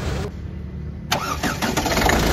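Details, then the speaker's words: Ford EcoSport diesel after engine rebuild with original Ford pistons, rings and oil seals, engine refitted: cranks briefly, starts cleanly and idles steady with no knock; previous engine noise gone. "ফাইনালিফোর্ড আমাদের start হয়ে গেছে। ইঞ্জিনের sound শুনতে পাচ্ছেন একদম perfect. আগের মত করে কোন সাউন্ডও নেই।"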